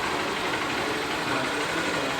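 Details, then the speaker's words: Honda Fan 125 motorcycle after engine rebuild, with the kick-start pedal replaced and everything adjusted; even, quiet single-cylinder idle with a steady beat and no knocks or rattles, starting easily without throttle, running healthy. "Tá pegando legal, ó. Não precisa nem acelerar. Olha o barulho do motor aí. Só o filé, galera, bem caladinho aí, ó."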